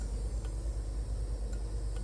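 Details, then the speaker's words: Barn-find Bertone X1/9 being revived: faint, sharp relay clicks tick over a low steady hum as the turn signals flash normally. "Blinkers. Oh, I hear a relay."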